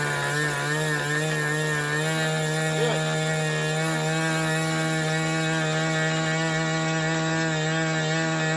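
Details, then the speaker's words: Glow engine in Ewan's Limbo Dancer model plane on its first engine run-up, needles opened a bit: a steady high-pitched buzz at fairly constant revs, slightly blubbery and not crisp. Running rich, worst at the bottom end; RPM lower than expected. "so you saw there this engine um ran up fine um yes it's very rich at the bottom end it's very rich at both ends"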